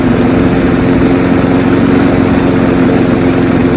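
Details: Honda HR173 push rear-roller rotary lawnmower after a detailed carb clean and service, started on choke: steady even drone at constant speed, no misses, surging or knocking; it revved high on start, which these all do; runs normally.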